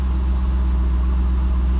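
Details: Cadillac CTS-V V8 after starter replacement with GM truck starter and harmonic balancer replacement: brief starter screech, then deep even idle, no ticking, knocking or stumble; running clean.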